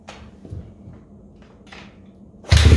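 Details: 2007 Honda CRF250R carburetor at about 7200 ft: 45 pilot jet, JD high-altitude kit with red needle on fourth clip, Boyesen QS3 about 7/8 turn out, fuel screw about 2 turns out. Lumpy idle, then heavy roar when the throttle is hammered; bog now mostly improved after retiming the accelerator pump.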